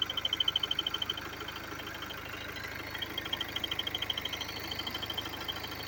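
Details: BMW F30 320d diesel at idle: a sharp high tick about three per second rides evenly over the steady idle; abnormal engine noise, cause unknown.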